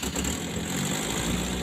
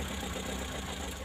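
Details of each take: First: Colt T120 that starts poorly, idling before repair: an uneven, lumpy, shaking idle that feels ready to die at low throttle, as if a plug is dead; ignition points gapped too narrow, giving unstable spark. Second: Colt T120 idling: a quiet, even idle with no stumbles or jerks; the engine now runs smoothly.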